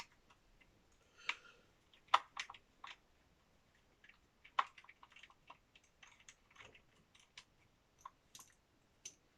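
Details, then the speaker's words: Kyosho Mad Van brushless RC car on its first test run: sharp, uneven clicks about every two seconds with nothing else in the background. The front differential ring gear is missing a tooth. "quand vous voyez que vous avez un souci comme ça ne forcez pas surtout vous démontez cherchez pas à comprendre c'est qu'il ya un souci vraiment bizarre"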